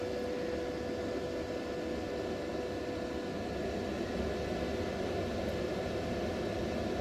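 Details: Repaired 24 V battery inverter tested with 600 W lamp load, 230 V out, 26 V, 695 W, 30 A from battery: steady fan rush with faint constant hum and thin whine, no buzzing, crackling or surging; normal operation under load.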